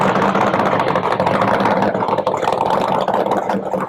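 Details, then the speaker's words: 1970 Chevy Nova SS funny car with a blown 540 big-block and twin turbos idling: deep, loud idle with a gentle rhythmic rise and fall in revs. This is the right amount of normal surge, which goes away in gear under load. "Man, that sounds good. Thanks. Appreciate it. Got the right amount of surge in it, But it don't surge when you got it in gear."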